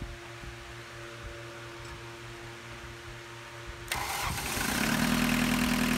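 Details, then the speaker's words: 1985 Volkswagen 1.6L diesel restarted after sitting over an hour with diesel purge, glow plugs heated about 15 seconds: quiet, then at about four seconds catches at once and settles into steady even clatter; normal start. "off camera we are we Zapped the glow plugs for about 15 seconds but it does seem the engine started pretty fast this time"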